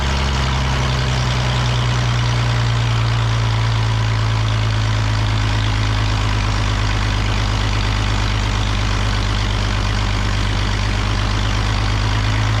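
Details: The Rockabilly Rat, an old truck engine, idles deep and steady with an even beat after getting spark to the plug and adjusting timing, holding without stumbling or dying; running fine.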